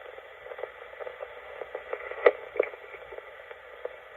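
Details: c1965 Lloyds TP588 reel-to-reel recorder, amplifier not recapped, volume full up recording onto demagnetized tape: steady hiss with faint irregular ticks and no program; amplifier introducing background noise, uncapped capacitors suspected; amplifier hiss.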